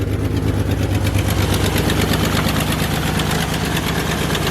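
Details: Car with erratic idle and misfire, just after swapping in a newer aftermarket coil pack: steady idle with faint regular stumble, sounds a lot better; owner thinks the coil pack fixed it, misfire may remain, not confirmed.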